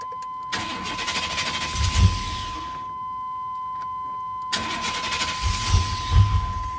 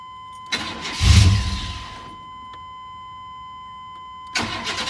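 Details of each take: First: 1999 Chevrolet Tahoe 5.7 4x4. Two cranking bursts of about two seconds each; the starter turns steadily but the engine never catches: crank, no start. The fix was replacing cab fuse 21 on the driver side and cleaning its heavily corroded contacts. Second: 1999 Chevrolet Tahoe 5.7 V8 4x4, formerly a no-start, after cleaning the cab fuse 21 contacts: first crank catches briefly, roars and dies, then a second crank fires and keeps running. Normal start.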